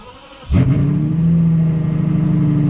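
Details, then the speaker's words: Straight-piped V12 BMW 7 Series that sat unused and wouldn't start, first start after fitting a new battery: short starter whirr, then it catches at once and settles into a smooth, even, steady idle; normal start and idle. "yes i fixed something myself yes i have never been happier to hear the sound of a straight pipe v12"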